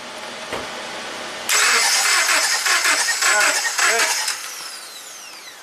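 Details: 2009 Subaru Forester crank no-start with no codes, after timing belt, plugs, wires, coil and ECU replaced; ignition testing shows a cylinder not sparking. Steady starter cranking about three seconds, no firing or catch, then winds down; cranks but won't start.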